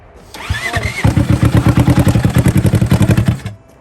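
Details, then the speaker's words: Cheap rock bouncer engine choked by hand at the intake, heavy blow-by smoke: cranks and catches, then rough lumpy running with a hard repetitive knock on each firing pulse; diagnosed as failed bottom-end bearings, motor shot. "You know that noise it was making? Oh. It's because that's your bottom end bearings. Oh. Motor shot."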